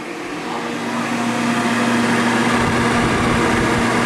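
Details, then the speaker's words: New 2-gallon multi-room humidifier running at its highest speed, which failed within 24 hours of purchase: a steady loud airy roar with a low droning tone that swells and holds. The blower fan is running noisily. "what the heck is that noise? Do we have a blower fan in here or what?"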